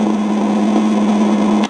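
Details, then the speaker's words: Eico 147A signal tracer on a receiver: steady hiss with low hum heard when probing the AGC line, cutting off sharply. The noise comes from the AGC circuit; a broken capacitor lead or failing component is suspected. "but if I monitor the AGC coming in listen to that that is where noise is coming from so there's something in the AGC circuit is either a broken lead on capacitor or you know a component faing"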